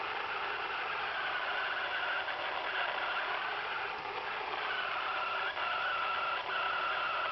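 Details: Radio receiver: constant hiss with a wavering mid-pitched tone and brief dropouts, from interference of unknown cause; owner suspects the antenna slipping out of alignment or a tuner problem.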